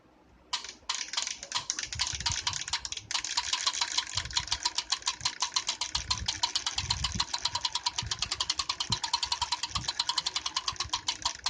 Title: Tacx Vortex Smart grinding noise